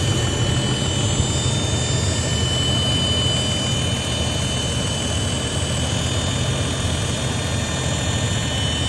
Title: Whine noise on 80 series LC